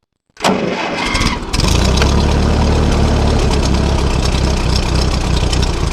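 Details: Ferguson TO-20 tractor with 12-volt conversion after fitting a new alternator: brief crank of about a second, then catches cleanly and settles into a steady, even idle; healthy start.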